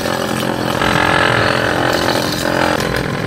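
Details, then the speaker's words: Small DC water pump motor running unloaded, drawing only 0.4 A on a DC ammeter: steady, even buzzing whine with constant pitch, no knocks or rubbing; normal no-load running. "यहां पर आप देख सकते हैं की 0.4 umpire show हो रहा है यानी यह मोटर खाली ने 1 अंपायर भी नहीं ले रही है"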